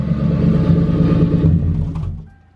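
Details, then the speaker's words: Ford Crown Victoria V8 after intake manifold replacement, which followed years of misfire, lean, O2 sensor and catalyst codes and a coolant leak: revs up cleanly and settles back with no stumble or miss; running healthy. "Yo, running like a top. No misfire, no nothing."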